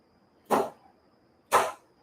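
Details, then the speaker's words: Cadillac limousine trick door popper relay system (RF and WiFi), driver door button pressed during install. Two crisp, sharp clacks about a second apart, each dying off fast in a quiet room. The door popper solenoid fires normally. "I accidentally made it work. So, I just hit the button for driver door and it works."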